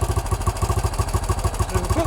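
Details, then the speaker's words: 1968 BSA Starfire single, after not starting well: engine idling on its own carburettor idle setting once the idle screw is turned up, before mixture adjustment; even, steady thumping at about nine beats a second, sounding better. "Now, the bike's now running on its own carburetor setting. That sounds a bit better."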